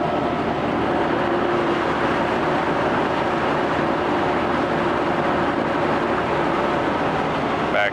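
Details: 1988 Mercury 25hp two-stroke tiller outboard, 20in shaft, electric start, freshwater engine with new lower unit lube, run on water in reverse: steady even drone, no knocks, misses or grinding; running properly.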